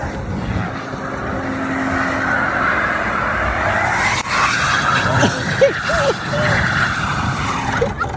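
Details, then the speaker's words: VinFast VF8 EV held on creep torque alone, no pedal: steady tyre scrubbing hiss with a wavering mid-pitched squeal as one side's wheel spins, no motor load change; wheelspin from excessive creep torque. "But if you just let it sit there, it'll roast that tire all day. >> We did it for like a minute. [laughter] >> Oh, it's spinning that side."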